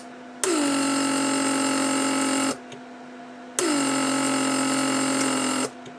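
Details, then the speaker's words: Repaired 1995 Mercedes W140 door lock (PSE) pump, headrest release circuit: two buzzing runs about two seconds each, pitch settling, crisp stop; internal relay clicks diverting air between manifolds, gauge moves; normal cycling. "so as you can see the gauge moves because the relay inside clicks so it diverts the air from one manifold to another so this is working just fine"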